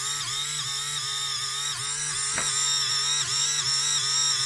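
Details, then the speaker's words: InMoov robot shoulder servo being spun up: steady buzzing hum that sags in pitch every half second or so, labouring; builder suspects the screw heads are catching on the unfiled top piece, not confirmed. "if we just spin this up actually you can kind of hear it struggling and do the tricky to see on the camera"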